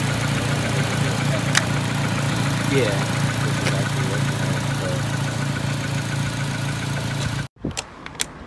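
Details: Acura RSX idling during a starter and alternator check prompted by a P2500 code from a Zus Nonda monitor; battery good at 512 CCA. An even, steady idle with a smooth low drone and no knocks, misses or squeals until it cuts off. Normal idle.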